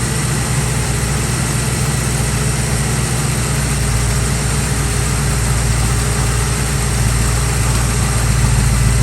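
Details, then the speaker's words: 1965 Chevrolet Nova wagon V8 after installing a Holley 600 cfm four-barrel and Edelbrock intake: deep, steady, even lumpy idle with no misses or knocks; throttle response restored; belt seems slightly loose; normal idle. "That's way better than it was before. Sounds like the belt's a little bit loose, but that wasn't a problem before because I didn't have throttle response."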